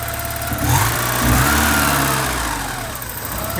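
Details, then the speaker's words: 1983 Porsche 944 after sitting 14 years, with a replacement ignition switch fitted: engine catches and settles into an even idle with a brief rev, no knocks or rattles; good oil pressure, faulty ignition switch was the no-run cause. "Oh yes, car started right up. This ignition switch is working perfectly. Now let's go around here and see how it sounds. Sounds pretty good."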